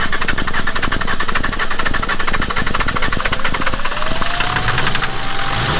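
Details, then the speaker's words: Volvo 740 D24t turbo diesel, revived after sitting, injector lines retightened and fresh diesel supplied: even clatter at fast idle with faint rising whistle, running steadily but idling a bit high. "now let's start with the tripod a bit of a high idle but I ain't going to be questioning anything"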